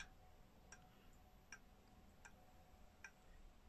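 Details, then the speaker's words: Serviced German three-weight clock movement, temporarily fixed to the back of its case while the case is restored, ticking crisply and evenly about every three-quarters of a second, steady and in beat; normal clock ticking. "Este revizuit la zi, funcționează foarte bine. Este un mecanism foarte"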